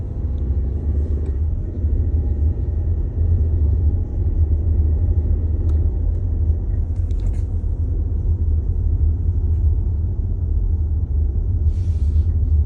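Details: 2022 VW Tiguan SE R-Line when auto start-stop activates: heavy constant low droning rumble with a coarse buzzing edge; vibration noise, source not pinned down.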